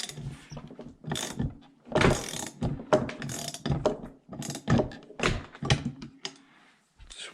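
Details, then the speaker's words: YT60 Tri-Zinger three-wheeler engine with formerly seized bottom end, crank turned by hand: slow, uneven squeaks and gritty scraping on each turn; the crank rotation is squeaky, rough and binding. "so you hear that i can hear it squeaky"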